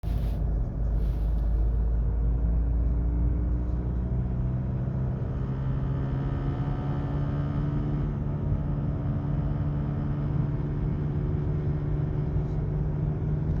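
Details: VW Golf Mk7 GTD diesel: steady low constant-pitch buzz over engine rumble, no rhythm; source not identified.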